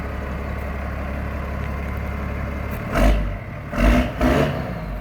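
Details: 1993 Dodge Ram D350 with an unmodified Cummins diesel (killer dowel pin fix) and 5-speed transmission, exhaust brake fitted: deep, even rumble picking up cleanly through quick throttle blips and settling back; healthy start and idle.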